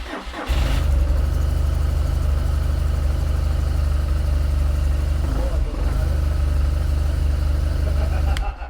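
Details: Rebuilt BMW 1200 GS motorcycle, first start after 12 volts were wired straight to the fuel pump: the engine catches within a second and settles into a steady, even idle with a deep thrum and no misses, so it starts and runs healthy.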